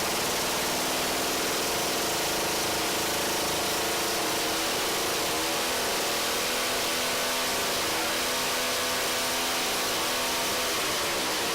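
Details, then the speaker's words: Two-stroke ice auger engine: high buzzy note climbs cleanly as the throttle opens and holds without stumbling; revving normally, idle screws still to adjust. "it's supposed to rev up like that that's what I like alright so it sounds like it runs pretty good there"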